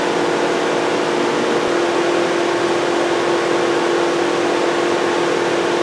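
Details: 2007 Volkswagen Jetta 2.5L, cranks but won't start, no check engine light at key on: loud, steady rushing roar and constant hum; cooling fans stuck on high because the ECM is not communicating, network faults stored in other modules.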